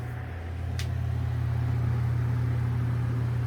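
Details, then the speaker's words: ILG Model 83 8-inch panel-mount exhaust fan (4-pole, 1550 rpm, 115 V) running with its blade after the motor was reworked to stop the shaft drumming against the end bell: a steady, even low hum with no knocking or drumming. "no more drumming i am much more happy with that"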